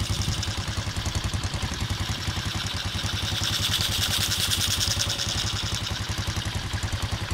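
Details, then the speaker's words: Motorcycle engine started; steady even idle about three to four pulses a second, no misfires or knocking, quiet and healthy. "Okey, jadinya sekarang AD start motor ni Okey, jadinya motor ni okey lah, enjin dia senyap"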